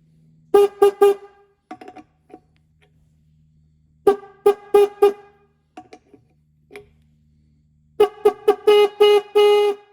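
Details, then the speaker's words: Restored rusty 1950s–60s Ford Mustang horn, adjuster being turned: short honks with a steady mid pitch turning harsh and buzzy; horn adjusted too far, poor tone. "Oh, yeah. Okay, that's bad."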